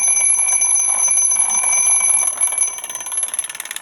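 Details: Twin bell mechanical alarm clock ringing: bright, rapid metallic bell ringing holds steady, then breaks into slower separate strikes as it dies away; normal alarm.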